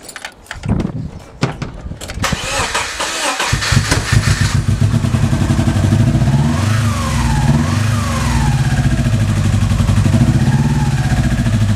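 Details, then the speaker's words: Subaru Impreza EJ18, fitted with the intake from the old engine, with new leads and plugs and the connectors reseated: after a few cranks it settles into an uneven, lumpy idle, apparently not firing on all four cylinders. "so yeah as you can hear it doesn't sound like it's running on all four cylinders and I've changed all the leads changed all the plugs"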